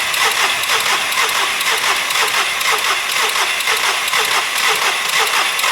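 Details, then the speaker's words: SEAT Ibiza engine just refitted after sitting a while, possibly no oil on top end, air filter possibly not fully refitted: starter turns it over evenly, about two compression pulses a second, but it never fires; earlier attempt seemed to briefly catch and sounded very clicky. "Now, as you can see, that hasn't started. I've got a couple more tricks to do and then we'll see."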